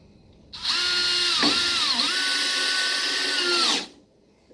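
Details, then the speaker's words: Power drill driving a screw into wood through a pre-drilled pilot hole. Steady high motor whine that dips briefly as the screw bites, then recovers; it drives easier and smoother without splitting the wood. "a lot easier and it's smoother it doesn't split the wood up"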